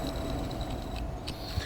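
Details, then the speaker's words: Failing VGT turbo actuator on an ATS benchtop calibration tool, held near the mic at the motor end: steady mid-pitched electric buzz with faint high ticking from worn motor bearings, though it still sweeps fully. "you kind of hear that that's that basically is a sign of an actuator that's beginning to fail"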